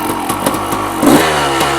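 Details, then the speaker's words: 1990 Honda CR250R two-stroke motocross bike, freshly fitted with a new plug and light carburetor work: crackly blips rise a little then choke off, not coming on the pipe; owner suspects the power valve not opening or a carburetor problem. "it doesn't it doesn't come on the apartment like I supposed to kind of chokes off so I'm gonna start the HPP valve may not be opening it could be a problem the carburetor"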